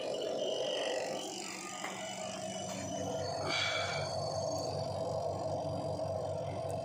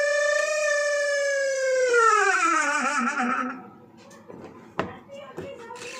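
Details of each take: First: Washing machine spin dryer just after its motor seal was oiled: a steady, smooth whirr with light ticking from the timer knob's mechanism. There is no grinding or scraping, so the dryer noise is fixed. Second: Washing machine spin dryer running: a loud, piercing squeal that slides down in pitch as the drum slows, then dies away. The motor seal has dried out after long use; fixed by oiling it.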